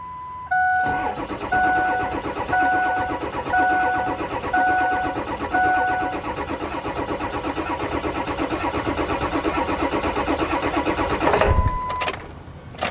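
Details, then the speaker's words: Ford F350 diesel after fuel tank cleaning and dirty fuel bowl cleaned, fixing crank-no-start: waiting for glow plug light, short crank catches quickly into steady even diesel clatter with dash chime beeping; normal start and idle. "Let's wait for the glow plug light to go off. Oh, it's running. Nice."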